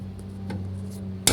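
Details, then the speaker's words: Ford Del Rey rear suspension: a soft tap, then a sharp metallic clunk over a low hum, from a loose rear-axle stabilizer bar, hard to see from outside the car. "aí você fica doidinho caçando onde é um barulho aqui é que quando faz com que a criação manda o barulho na roda traseira ninguém acha onde é de jeito nenhum tem grande possibilidade seria exatamente aqui é isso"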